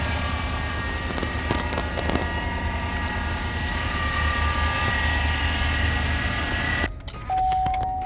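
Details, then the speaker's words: 2019 Chevrolet Silverado with 5.3L or 6.2L V8, remote-started, noise on acceleration; steady whirring, chirpy bearing whine over the engine from a failing idler pulley bearing on the stretch belt drive. "We have this 19 Silverado here for a weird noise on the acceleration. I already diagnosed the vehicle, but I'm gonna repair it right now."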